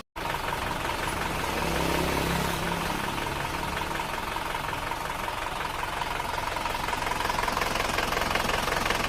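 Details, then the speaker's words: Isuzu Panther diesel running rough at cold idle with thin smoke: a light, regular ticking clatter, about 160 a minute. The mechanic attributes the tek-tek sound to worn pistons slapping against the cylinder walls, and the owner wants it removed. "ini kalau didengarkan Emang ada suara semacam ngleklekkk se nya sedikit Tetapi kalau menurut pemiliknya ini risih katanya mau dihilangkan suara nkkkk ini"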